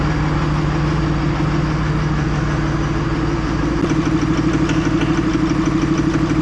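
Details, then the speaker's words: 3rd-gen diesel with new BD Diesel 90 hp injectors at idle: hard, regular knock about three per second over the idle, white smoke. Owner suspects overfueling; disabling each injector never stopped the smoke. "So I go fire it up and right away it's running, knocking like crazy, smoking white."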